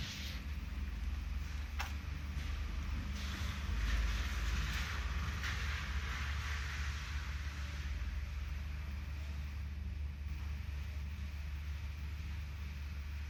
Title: Misfiring BMW 3 SERIES 2.0 318i (09/05 - 08/07)